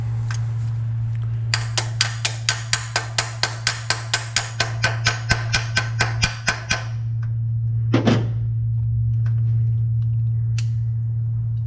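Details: 1979 Chevy C10 sat at least 10 years, carburetor needle and seat feared stuck: about five starter clicks a second for five seconds, pause, then fires and settles into a steady smooth idle, not revved.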